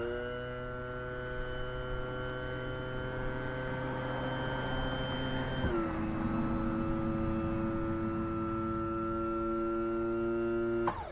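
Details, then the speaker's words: 1986 Mercury 90hp Tower of Power outboard on an Alumacraft boat: steady electric power trim motor hum, pitch dropping as load shifts, then cutting off cleanly; trim pump works well. "now I did find out that the trim that's right here works"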